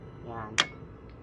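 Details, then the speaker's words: Raider 150 Fi motorcycle, push start pressed: sharp single clicks about a second apart near the battery, no cranking; lights and neutral indicator flickering; weak battery. "Napapansin ko yung Push start is hindi na gumagana kahit anong gawing pindot natin Wala ayaw ng umandar ang maririnig niyo na lang ay parang may lumalagitik dito sa may battery"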